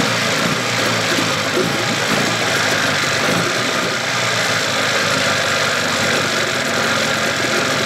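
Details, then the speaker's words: 1981 Evinrude 15 HP outboard, cowl off: even, buzzy two-stroke running at steady speed with no whine, so the earlier whining was in the lower unit; the powerhead sounds good. "I got my sucker off so you can hear the engine no whining so the winding was in the lower unit motor sounds good real good power heads"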